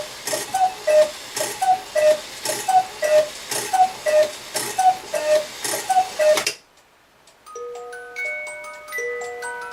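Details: Restored Regula 25 cuckoo clock, cleaned, lift arms adjusted, weights set to run right: steady tick-tock about one beat per second, then music box plays a clean tune; clock running properly.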